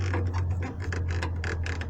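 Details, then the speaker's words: 2011 Jeep Cherokee/Liberty KK rear stabilizer bar: quick dry ratcheting creaks, several per second, as the bar rotates in its bushings; anti-roll bar bushing creak. "фишки вот этой вот и скрипит когда проворачивается"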